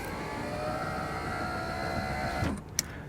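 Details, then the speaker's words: 2000 Toyota Camry CE rear door power window after regulator replacement fixed a rapid ratcheting bang when raising. Smooth even motor whir through full travel with a soft stop, no binding or clunks; works properly. "So, good. That problem's fixed. And no noise."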